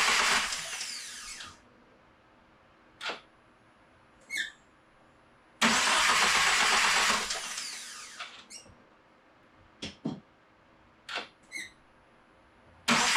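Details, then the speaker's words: FA24 engine swapped into Subaru VA WRX, first crank with throttle body attached on manifold: two even starter cranks of about 1.5 and 2.5 seconds, smooth, no grinding or scraping, no fluid leaks; healthy cranking. "Alright, we just cranked it for the first time. I had the main body plug back there unplugged. I was wondering why it wasn't trying to start, and that's why. No fluids came out, which is great. Nothing sounded grindy or scrapey or bad."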